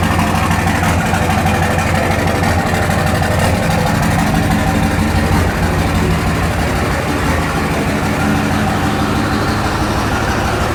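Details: 2004 Dodge Ram 5.9 Cummins diesel, cold start not warmed up, idling: sharp even clatter about three knocks a second over low rumble; suspected bad injectors, not confirmed.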